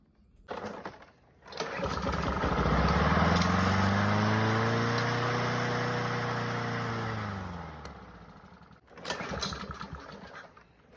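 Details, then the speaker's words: Lawnmower engine after a motor swap, cranking no-start: even thump-thump of compression at about three and a half turns a second but it never fires. Fuel delivery is uncertain and it sparked a moment earlier; the cause is unconfirmed. "It's either fuel, spark, or compression. It's got compression, you can hear it, thump, thump, thump."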